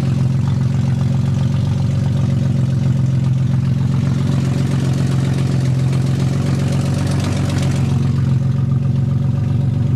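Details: 1991 BMW 318i E30 with an M50NV engine swap, cold start and warm-up: a low, uneven idle throb that wavers instead of holding steady. Codes show a bad crank sensor and bad O2 sensor; cause unconfirmed.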